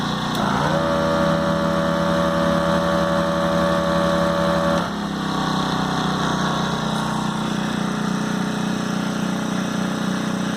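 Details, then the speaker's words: Ryobi propane-powered inverter generator (RYi911LP/RYi900LP): steady drone with compressor-like hum that drops away as the engine throttles down slightly to a smooth, even, quiet idle; normal idle. "okay I did hear it Throttle Down just a little bit see if you can tell the difference on the"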